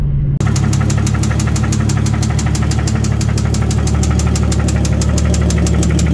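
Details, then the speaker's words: 2JZ-swapped Miata idling the day after a loud knock at 65-70 mph on the freeway and a shutdown: sharp, steady knock about three times a second over the exhaust rumble; it needs a new motor. "i started it back up and i'll throw a clip right here you'll hear the car"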